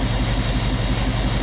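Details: 1998 Chevy van 5.7 V8 with constant multiple-cylinder misfire, cylinder drop test by pulling plug wires: lumpy idle with pulsing low beat that sags as a plug wire comes off, so that cylinder is firing fine.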